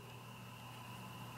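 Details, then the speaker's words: Rebuilt New Holland mower conditioner bevel gearbox, reinforced lower bearing and pinion support, turned by hand before oil fill: quiet hum with one light, sharp tick from slight gear backlash, about as it should be. "can hear that tick, it's just very little bit of backlash. About like it should be."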